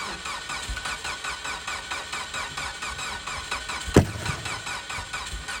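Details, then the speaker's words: Very rusty Mitsubishi Evo on a 0-degree Wisconsin day: starter drags the engine over slowly, about three labored compressions a second, and it never catches; weak battery cranks too slowly to start, so it needed a jump. "the battery had just enough uh cranking amps to kind of crank it over but it wouldn't crank it over fast enough to start so I had to jump it"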